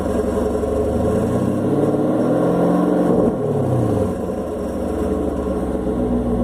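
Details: Chevrolet Camaro SS V8 idling then blipped: faint metallic rattle over the rumble; touching the exhaust valve showed no vibration, owner guesses the AFM valve; source unconfirmed, going to dealer.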